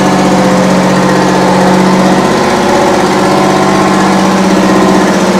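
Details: 60-year-old US-imported Massey Ferguson 98 tractor with factory Detroit Diesel GM 3-71 two-stroke, after significant restoration: even, steady drone with firm buzzy tone, no knocks or misses; normal running.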